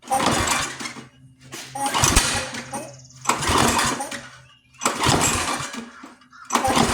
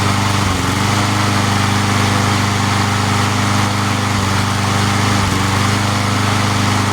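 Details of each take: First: Free junk pull-start lawn mower: five pull-cord cranks of rapid chuffing, no firing; no spark seen at plug. Owner suspects flywheel brake/handle kill contact still grounding the motor. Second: Free junk lawn mower engine after repair, restarted after sitting about an hour: steady, even low putter at constant pitch with no misses or surging; idles cleanly.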